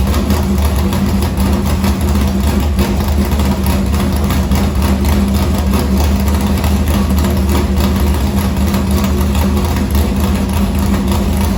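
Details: Morgan Machine-built V8 race motor (about 358), EQ heads, Edelbrock Victor Jr two-barrel intake, 85 carburetor, started after sitting a week and a half with fuel line unhooked: deep steady slightly lumpy idle, no knocks or ticks; normal.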